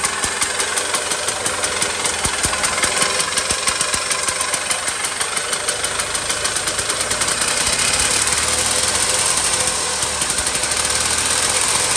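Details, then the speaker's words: 1970s EZGO golf cart, first choked start after repairing the internal starter generator (worn brushes) and setting the carburetor needle: quick, even small-engine putter with crisp exhaust pulses and no misses. Normal running. "all right let's check them first seem like it's running good"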